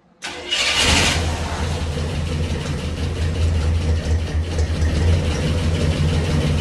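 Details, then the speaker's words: 1965 Cadillac Coupe DeVille with Flowmaster exhausts, first start after sitting 15 years, fuel delivery not yet sorted: engine catches at once into a deep, steady, throaty burble with even firing, no knocks or ticks; sounds healthy. "another shot oh man it sounds good all right so we know it fires up"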